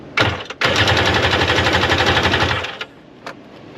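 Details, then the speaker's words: Vehicle at a dealer-only auto auction, brand-new battery, no gas in it: fast, even starter chatter of about four pulses a second for two seconds, never catching; cranks but won't start, likely from the lack of fuel. "Let's see if I crank it. No gas in it. That's crazy though. At least it cranks."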